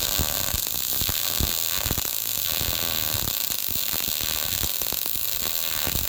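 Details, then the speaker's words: YesWelder MIG-205DS dual-voltage multiprocess welder, MIG, voltage trimmed from +10 to -5 at same amperage: steady fine frying crackle with scattered sharp pops; sounded better but threw lots of fine spatter everywhere. "Okay, so it sounded better, but look at all the spatter I got everywhere."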